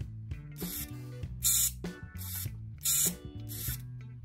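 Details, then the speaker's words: Shimano Di2 front derailleur servo (FD-RX815/R8050/R9150) that whirrs but doesn't move the cage: small motor hums, broken by harsh rasping as a gear slips and ratchets because its pin slides out and the gear is loose. "because that pin slides out like that that gear is coming loose"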